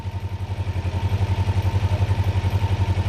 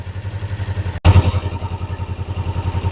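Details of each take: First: Kawasaki Ninja 500R parallel twin held at 1300 rpm for carb synchronization: lumpy idle at about four pulses a second with uneven firing, vacuum gauges not lined up and bouncing worse as it warms; carburetors out of sync. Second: Kawasaki Ninja 500R parallel twin at operating temperature after carb synchronization, idle brought back up to spec: steady, evenly spaced low thumps with no stumble or hunting; normal idle.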